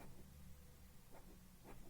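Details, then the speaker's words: Aixam 400 gearbox bearing spun by hand: nearly silent, no grinding or rumble, unlike the noisy bearing with the axle. "Compared to the one with the axle this one practically doesn't make any noise"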